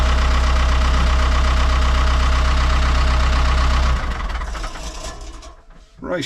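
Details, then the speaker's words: Ford 6610 diesel tractor started on a Bosch battery (1000 cranking amps, 170Ah) with excess fuel: even beat of about four per second with no misses, then winds down; fired up with no problem, normal start and idle. "so that actually fired up, no problem."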